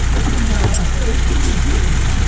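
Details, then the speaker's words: 2002-2007 Saturn Vue 2.2 L after fixing misfire with a new coil pack and new plugs gapped to 0.045 in, first startup on new plugs: smooth, even idle with a steady low hum, earlier tapping gone; normal idle. "Everything's all right. How smooth that is. Cleared it right up."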